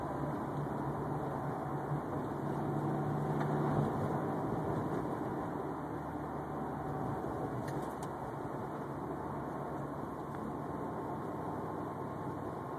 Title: Unknown whining noise 2